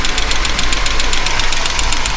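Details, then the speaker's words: Chevy engine at idle during valve adjustment: sharp, light ticking about seven or eight per second over steady idle, suspected valvetrain clatter from one side; cause not yet pinned down. "hear that listen to those can you hear those major valve clock"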